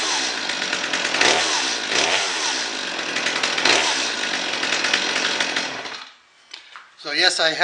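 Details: Stihl MS230 chainsaw after fuel line replacement and cleaned spark plug: crisp two-stroke buzz revving up and down cleanly several times before shutting off; saw runs and responds normally.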